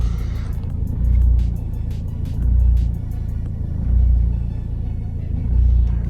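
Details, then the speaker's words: 2011 Vauxhall Astra 1.7 CDTi common-rail diesel that stalls and surges, worse when cold, during a rail pressure test around 180 MPa: idle rises and falls in slow waves about every 1.4 seconds; rail pressure not controlled, suspected fuel pressure fault. "you can hear better now for sure surging pretty badly now"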